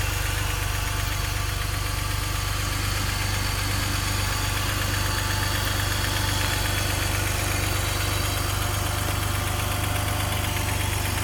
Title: M54b30 cold engine knocking